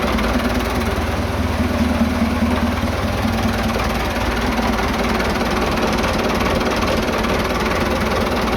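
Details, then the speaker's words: Vintage "77" diesel tractor that sat two days and wouldn't start because its tank was empty. After refuelling it fires right up and runs with a steady, low, even clatter and no misses or knocks. "Of course, it fires up! It fires up! Of course, it fires right up."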